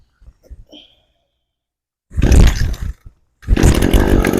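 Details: Brand-new Echo PAS-225 two-stroke trimmer, fuel left in tank, not primed: a couple of quiet pulls, then it catches, dips briefly and picks up to a steady buzzing run; starts normally.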